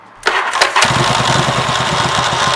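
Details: 1985 Yamaha Virago XV700 V-twin after installing a voltage stabilizer for the spark plug unit, added for starter grinding issue: brief crank, catches almost instantly, settles into even steady idle; clean quick start.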